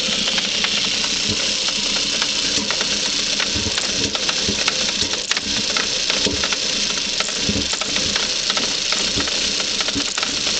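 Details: Audi 1.8 20V turbo (AUQ) petrol engine on cold start runs roughly, stumbling and missing with uneven jerky pulses, then clears after 17–18 seconds.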